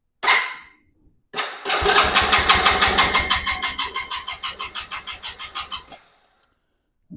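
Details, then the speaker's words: 110cc Chinese ATV with an intermittent-spark problem, cranked after a new stator was installed, the spark plug refitted, choke on and kill switch adjusted. Turning over at about three strokes a second and slowing; it never catches, cranks with no start. "nothing. That's weird. H, let me double check everything."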